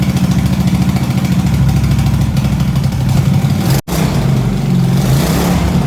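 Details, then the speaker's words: Racing mower single-cylinder engine with new 34mm performance carburetor and fuel system: low throb that sags and stumbles at full throttle but fine throttled slowly; bogs, too lean, different jet possibly needed. "What I learned is when I throttle it slowly, it's really good. When I give it full throttle, it bugs down, which means that it doesn't get enough fuel compared to the air."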